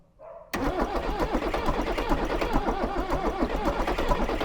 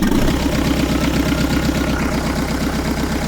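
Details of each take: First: Range Rover Classic with rebuilt 2.5L VM diesel, unused since 2016, heater plugs applied: starter churns steadily about nine seconds, roughly four turns a second, with uneven catches that nearly fire but no start; fumes coming out. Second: Rebuilt 2.5L VM diesel in a Range Rover Classic, refitted after eight years off the road: loud, steady diesel chug at a settled idle with no misses or knocks after a hard first start; engine running evenly.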